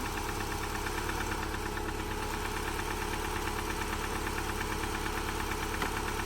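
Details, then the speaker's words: Subaru Forester cold start just after an engine install; it now runs but won't rev: steady hollow knock about three raps a second at idle, quieting somewhat as it warms; owner thinks it needs a valve adjustment. "It's [ __ ] knocking, dude. I mean, I'm happy it runs cuz it didn't run before."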